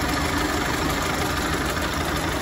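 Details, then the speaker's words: 1930 Ford Model A, 201 cubic inch four-cylinder, 6-volt, three-speed manual, idling under the hood: ticking over steadily with an even beat and no misses or knocks; it sounds like a sewing machine and runs great. "ground definitely it's got a nice sound to it the engine runs great and some drivers from the hook just listen to that thing it sounds like a sewing machine"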